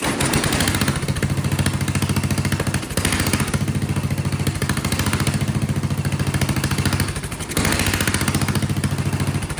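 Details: Vintage Kohler motorhome generator, big flathead engine (guessed 400–500 cc), first run after filling the gravity-fed float bowl with choke shut: note dips and swells every few seconds, surging; owner suspects carburetor needing thorough jet cleaning or poor fuel delivery.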